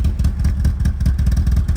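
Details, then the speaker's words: BMW E36, original engine, first run in about four years with the MAF jury-rigged back on: choppy, uneven low thumps with irregular gaps at a lumpy idle, sounding like it wants to cut out; owner suspects it is running on maybe two cylinders. "it very much sounds like it wants to cut out but we have a math it does look bloody cool this thing most definitely I think is running on maybe two"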